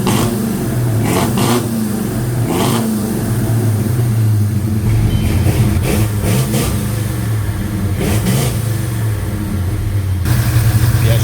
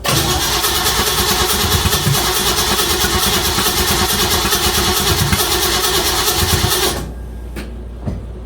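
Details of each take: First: 1956 Chevy Bel Air with Chevy 307 V8, first proper run, just started: steady running with a few throttle blips; faint light valve train ticking under the exhaust, otherwise smooth and even. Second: 1956 Chevy Bel Air, 307 V8 after lifter replacement, coil rewired to distributor: steady starter cranking about three beats a second for seven seconds, never catching; no start, suspected loose distributor wire or connection.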